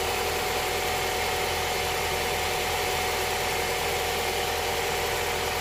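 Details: Honda Prelude SH idling right after the oil cooler/adapter gasket was replaced to fix a leak (head gasket done earlier); smooth, even idle with a steady hum, no knocks, ticks or stumbles; no leakage seen, engine healthy.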